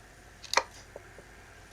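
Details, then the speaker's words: Nikon Zf, second-hand with only 490 actuations: soft, sharp clunks as body tilts, the in-body stabilised (IBIS/pixel-shift) sensor moving, with no lock when switched off; normal by design. "The sensor moves within the camera and it's meant to. I wouldn't have thought it was meant to, but that is a me that is builtin design. It's part of the IBIS and it's part of the pixel shifting that it's allowed to do."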